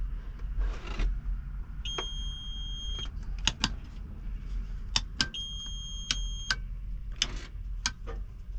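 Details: Tractor cab in hot weather, shortly after the fuel pump kicked on. Two long, steady high-pitched alarm tones of about a second each sound over a quiet idle, with clicking around them. The cab warning's cause is unknown; the blower fans are dead while the AC clutch kicks on.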